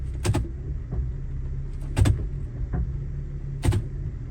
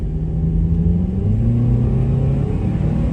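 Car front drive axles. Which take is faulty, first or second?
first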